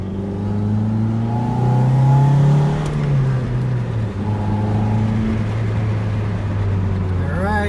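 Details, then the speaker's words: 1991 Toyota MR2 after its binding, creaking brakes were greased (an earlier clicking came from a cracked sway bar mount); rolling and pulling away with only engine and road hum and no creak or squeal. "you have it no more noise so as crazy as this song so the first was the clicking sound was from the sway bar and the creaking sound was actually from the brakes"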